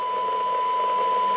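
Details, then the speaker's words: Yaesu FT-290R radio on the bench before repair, receiving a strong -73 dBm test signal: a steady tone comes through with a constant hiss underneath that should not be there. The receiver is noisy and receive performance is poor. "you may hear it in the background there is noise with um very strong input signal so that isus 73 dbm and uh you should not really hear noise so which is telling me that uh the receive is also not that good"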